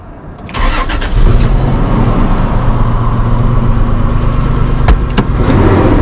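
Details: 2005 Holden Rodeo V6 started in neutral: it cranks, catches and settles into a lumpy, uneven idle from a cylinder misfiring on a failed ignition coil.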